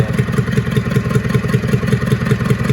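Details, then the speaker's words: IH B414 tractor, freed from seizure with head reinstalled, some blow-by and oil smoke: lumpy, uneven beat with sharp pops back through the intake each cycle; valves need readjusting. "and popping out of the intake still because I need to readjust the valves like I've already told you."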